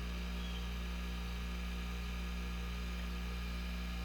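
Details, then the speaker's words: Dishwasher motor (120 VAC, max 3350 rpm, 2.7 A rating) run through a variac at about 35–46 V and 0.3–0.39 A: even low drone and steady hum, no knocking, rattle or scraping; runs smoothly and quietly. "can't hardly hear it because it's it's factory precision"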